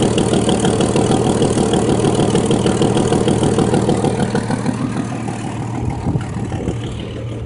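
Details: 1989 Jeep Cherokee 4.0L I6, AW4, Renix, before repair: idle carries a fast, even puffing tick about three per second; rear exhaust manifold gasket blew out after about 200 miles, and the Jeep failed emissions.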